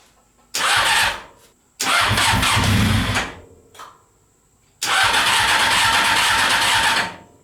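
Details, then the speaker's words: Honda CBR600 engine in reverse trike, sat over two years, old fuel, intermittent fuel pump wiring fault, starter fluid added: three long cranking bursts with brief catches that die away; cranks but will not start. "so it does show signs of life if I just add a bit of starter fluid it does show does show that it is kind of still working and running"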